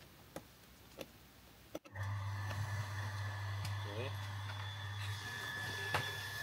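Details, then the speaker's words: Off-grid shower water pump on its first start after a new installation, powered by extension lead from a Fossibot power station, filling the system: a few faint ticks, then a steady, even low hum with no knocking or straining; runs fine. "Nie słychać żadnych jakichś złych historii."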